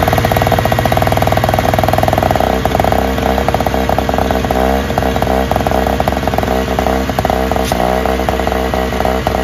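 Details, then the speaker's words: Free Toro/Craftsman single-stage snowblower, started first pull without priming: strong, steady buzzing run at even speed, no misses or knocks; runs best of the three, though a slight leak at a nut gasket is suspected. "this one actually runs the best out of these three that's great"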